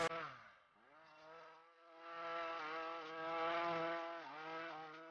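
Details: Ryobi RY253SS two-stroke string trimmer, dumpster find, after replacing a leaking carburetor: buzzy whine rising and dipping smoothly with throttle, picking up cleanly under light brush cutting; runs properly, carb may need a few adjustments.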